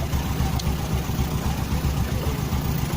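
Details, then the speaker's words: Honda Supra 125 motorcycle at idle after the cam chain (keteng) tensioner was adjusted to cure a ticking top end: low, even single-cylinder putter with no ticking or rattle; the engine idles cleanly. "हाँ, अब कोई टेकटीक take take ध्वनि नहीं है।"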